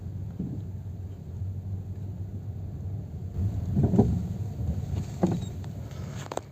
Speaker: Well, today we have this Ren Clio here with a noise that is already a bit scary. Look at the noise it is going to make just by hitting that sewer.